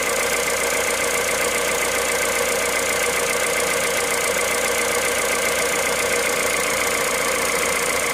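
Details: Cold engine at idle, 65,000 km, running Total Ineo ECS 0W30 oil: steady fast ticking clatter, roughly three to four beats a second over even running; cause unclear.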